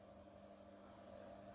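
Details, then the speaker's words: Ceiling fan after its noise, worse at the blades, was repaired without changing the bearing: faint, even low hum with no rubbing, clicking or grinding; fan now runs smoothly and silently. "ये बिल्कुल silent चल रहा है, कोई भी किसी भी तरह की आवाज़"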